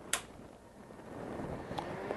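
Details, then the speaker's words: HP 6002A 0–50 V power supply, powered on after fan motor repair and reassembly: a quiet, steady whir with a faint even tone and no scraping or rattle. The fan sounds healthy. Normal cooling fan running. "far so good sounds like a fan instead of death"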